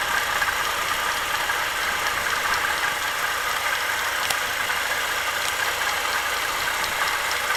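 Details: ZMZ-409 (40904 Euro-3) engine, warm idle: light steady ticking knock from the front of the engine; caused by a chunk broken off the alternator belt base, belt replaced.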